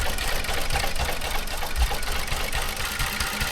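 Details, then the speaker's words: Toyota Avalon after water found in the fuel; uneven, lumpy idle with irregular thumps, misfiring and running rough, attributed to water remaining in the injectors and spark plugs, expected to smooth out once it clears. "pag tubig sa injector saka sa spark pug titining yan."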